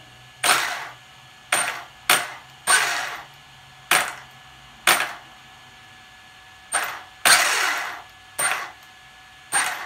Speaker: you hear that violin clicking that's because my start power is set up so high